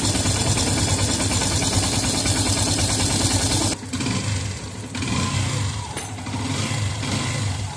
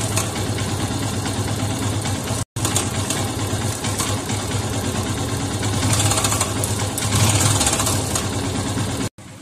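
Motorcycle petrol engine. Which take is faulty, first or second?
second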